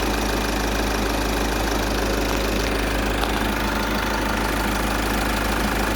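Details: VW Golf 6 2.0 TDI 140 hp diesel, warm engine at idle: faint, loosely regular tapping about two per second over the clatter, clearest at the end; light knock, source not identified.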